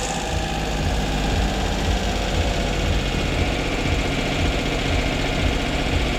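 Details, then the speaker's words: Duet car with a misfiring ("sneezing") complaint during throttle work; right at startup it runs fast and loud with a steady, busy drone that does not settle, and turning the adjuster changes nothing; the owner suspects it is drawing extra air somewhere: high idle, cause unconfirmed. "интересно не хочет заглохнуть воздуха как будто бы много где-то тянет Так а где он тянет воздух интересно"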